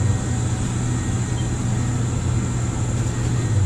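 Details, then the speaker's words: Furnace/water-heater burner, possibly about ten years old, after PEX repipe: pre-purge then lights right off, smooth steady low roar with no popping, rumble or flutter; burning normally, producing hot water. "there it goes [Music] fire right off hey and we got hot water boys and girls hot water"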